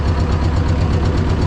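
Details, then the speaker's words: T-16MG self-propelled chassis diesel started in freezing winter cold using the decompressor and clutch, after heating with propane; deep, steady chug with even low thumps and no misfire or clatter, normal idle. "тя замръзна добре и както виждате, започнахме без никакви проблеми, нека работи малко сега"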